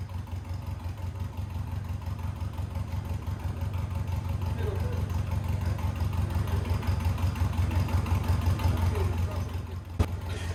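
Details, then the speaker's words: 1990 Birkin S3 Lotus Seven replica, off the road five years: engine revved steadily with regular low pulsing, then a sharp jolt when the brakes are stamped on with the clutch pedal down, trying to shock free a clutch plate frozen to the flywheel. "so we're trying to disconnect the engine from the gearbox in the drivetrain uh but it won't because the plate is is frozen on the uh flywheel"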